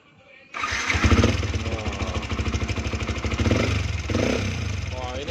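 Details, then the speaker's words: 2013 Yamaha Vixion started and idling: loud rapid top-end clatter, a helicopter- or drum-like chopping tick over the idle, bike also smoking; valvetrain wear suspected, not confirmed. "ada kayak helikopter nih masa suara Vixion gini Suaranya kayak ada yang lagi main musik kayak ada yang main drumband nih"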